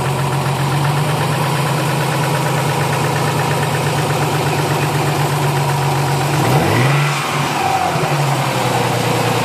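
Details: Nissan 300ZX after new battery, warmed up at idle: dull rapid knock under valve clatter, rising with revs, seeming worse at cylinder #4 or #6 than typical lifter tick; owner suspects rod knock, not confirmed.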